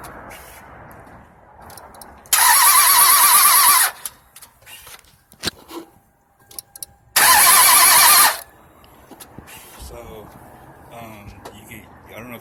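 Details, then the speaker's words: 1998 Toyota Avalon after radiator, water pump and timing belt replacement: two bursts of steady starter whir, engine spins but never fires; crank no start from cam timing off. "sound picked up the sound but obviously they're turning they're just not turning over"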